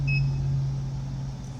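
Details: Altec Lansing IMT7002 speaker amplifier board, customer fault: turns on, screen works but no sound. One short high chirp at switch-on over a low steady hum; the unit powers up normally despite the no-audio fault.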